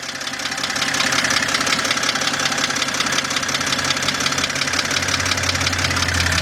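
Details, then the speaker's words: 2007 BMW 328xi at idle: sharp, fast tapping about three per second over an even idle, heard from under the car. It is traced to the internal bottom end of the engine, exact part unknown; the engine has to come out. "This is definitely coming from the lower end. Now, let's get some under here. Now the problem here is we still don't know what is exactly making that noise, but we do know it's coming from the internal bottom half of the engine, which means we have to take this thing out."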